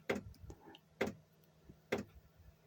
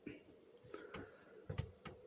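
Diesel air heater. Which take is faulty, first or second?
first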